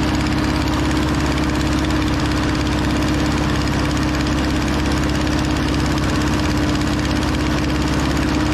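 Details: Over-80-year-old Ford 9N tractor running pretty decent: an even low idle with a raspy, uneven puffing chuff from an exhaust leak; otherwise quiet. Antifreeze smell makes the owner suspect a head gasket.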